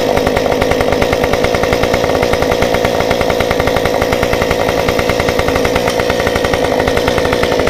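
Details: Stihl 193T climbing saw with muffler mod, limiters removed, ~8–9° timing advance, 93 non-E fuel, 16-inch bar; restarted hot after 5 minutes shut down, it holds a crisp, even, rapid idle with steady firing, no stumbling or surging; runs normally.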